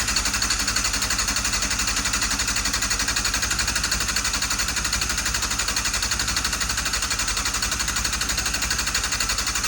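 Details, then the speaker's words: Restored Yamaha Fazer 600 on its first start attempt in about 2.5 years. Steady, fast starter whirr with even compression pulses, about three a second, that never catches. Cranks fine but no fuel is reaching the carburettors. "I didn't know this at the time of actually starting it for the first time, but I realized I wasn't getting any fuel, so I just gave it a little bit of easy start to see if it will help kick over."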